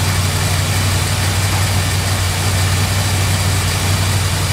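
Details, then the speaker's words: 1971 Chrysler New Yorker 440 V8 after a fuel system overhaul (new tank, sender, fuel pump, AVS 2 carburetor), first start in 5 months. Deep, steady cold idle with no stumble, after the too-high choke idle was backed down before warm-up. "all right man it's good to hear that 440 go that choke idol is way too high for my liking so i'm gonna back that down real quick before the engine actually gets warm"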